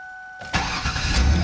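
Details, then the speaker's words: Ford Taurus at 107,304 miles, right after alternator replacement and belt tensioning: brief crank, engine catches almost at once and settles into a steady idle; strong normal quick start, alternator appears to be charging. "it definitely sounds like it's been charged so provide mark that down this is a success"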